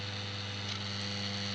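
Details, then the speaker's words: Homemade moving planet clock for US mains, single motor driving ring and planets, with transformer for 12 V DC LEDs: constant low fixed-pitch buzz from the motor; owner suspects supply voltage, not confirmed. "I know there's a lot of buzzing noise from the motor but I think it's something to do with the the voltage going into which is kind of causing that noise"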